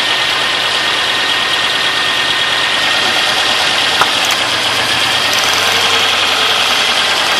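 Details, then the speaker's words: 3.1/3.4 engine a few weeks after a head gasket job, flashing check engine light, codes P0306 and cylinder 6 injector circuit open: a rough, stumbling idle with an irregular knock and shake. Cylinder 6 misfire, no fuel smell. "So, I'm going to start it up real quick. Running kind of rough."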